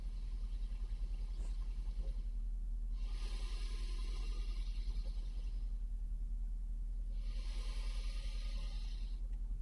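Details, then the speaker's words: Valve amplifier revived after replacing failed resistors, normal channel recorded with a microphone against the speaker: low steady hum with hiss bursts rising and fading every few seconds from noisy anode resistors still to be found. "all the trouble that Channel's now working um but it does have some noisy ano visist so we're going to have to find those and sort those out"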